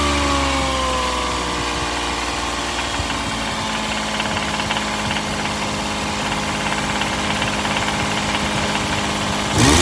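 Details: Toyota engine: a steady ticking rattle rides over the idle and quickens as the revs rise; the owner suspects rod knock, but the cause is unconfirmed.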